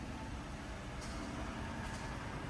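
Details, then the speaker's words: 2013 Chrysler Town and Country Touring L V6 at idle: steady, even low rumble with no knocks, ticks, misses, odd noises or vibrations; engine runs smoothly and healthy. "very nice and smooth running engine no issues no odd noises or vibrations"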